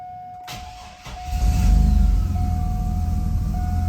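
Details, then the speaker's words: Turbo 4.3L V6 with the conditioned belt refitted after the alternator pulley was cleaned, in a hunt for belt squeal; the engine cranks, catches and settles into an even low idle with no chirp or squeal, though squeal returns shortly after. "It's quiet. Yay. Woo, it's quiet."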